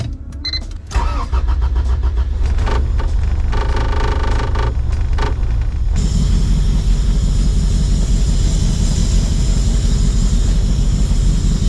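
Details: Honda engine after Hondata coil-on-plug retrofit, started with battery reconnected: cranks briefly, catches after about a second, settles into a steady, strong idle with deep exhaust note; starts and runs normally, then left to warm up.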